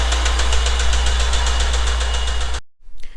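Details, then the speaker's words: 1989 Honda Prelude (3rd gen) engine with hidden damage, possibly needing a swap: a sharp regular knock about four times a second rides over the idle and stops at shutdown, identified as rod knock from a worn rod bearing. "can you hear it yep this is rodnock"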